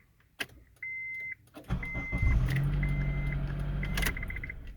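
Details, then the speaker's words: 2003 Honda CR-V 2.4 that buzzed or beeped instead of starting, now with a new Beck Arnley 201-1810 ignition switch module. A chime, then a quick crank and a smooth, steady idle with no buzzing. Starts normally after the repair. "And you can actually hear now no more pinging, no more weird electrical sound, buzzing sound. It's all gone."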